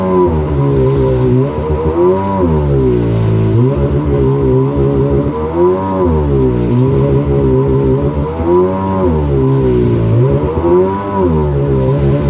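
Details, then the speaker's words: 2000 Yamaha XL800 two-stroke watercraft with freshly rebuilt engine and Mikuni-rebuilt carbs, on water: revs climb then sag repeatedly every couple of seconds, hesitating under throttle and failing to plane; owner suspects carburetor problems, cause not found. "hesitation [Music] i stay out of the throttle i may be able to get it i can't even get it to plane now"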